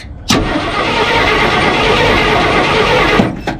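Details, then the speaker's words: 1968 Ford F100 small-block V8, out of a junkyard after 12–13 years, cranking: engine spins fast and evenly for about three seconds with no clunks or rattles, and the starter sounds good. Normal cranking. "I can't believe how, I mean, it just don't sound like an old loose, rattly. It sounds pretty smooth cranking over, and the starter sounds good even."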